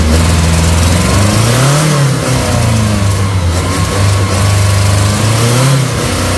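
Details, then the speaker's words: 1979 Triumph Spitfire, first start after sitting about 1.5–2 years, choke pulled, engine ground cleaned: catches easily and runs with a deep even note, swelling with throttle blips and settling back cleanly; normal running. "cannot believe that thing fired up that easy"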